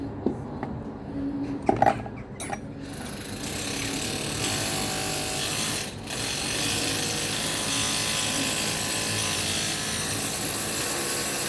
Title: jaguar x type replacing injector 4 due to heavy knocking sound.